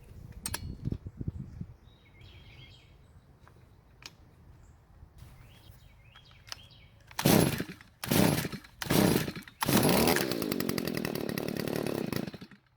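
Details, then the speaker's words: Garage-sale Stihl two-stroke trimmer, 65 psi compression, fuel poured into the spark plug hole, tank not yet filled: fires in a few short bursts, runs a couple of seconds and dies; brief run on priming fuel only. "So luckily it started and ran for just a few seconds, so now I'm beginning to think if I just put some fuel into the tank, I wonder if it'll start up and run for us."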